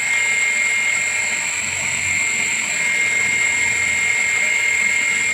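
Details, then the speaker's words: Electric water pump primed and run with a palm over the suction inlet, hand sucked tight: steady high-pitched whine, no rattle, grinding or surging; pump fine, so no-flow fault lies in the suction pipe. "kesimpulannya mesin ini tidak ada masalah sehingga kalau misalnya tidak bisa mengalir berarti masalah ada di pipa hisap"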